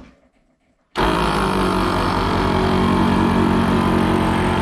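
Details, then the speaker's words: 15-year-old ARB CKMAT12 twin air compressor on a Jeep CJ, run after rebuilding one pump with piston barrel kit 320303 and a new fuse; fast even piston chatter with steady cooling-fan hum, no air leak, running normally. "kind of cool hearing the fan kick in when it's on i hadn't realized that before"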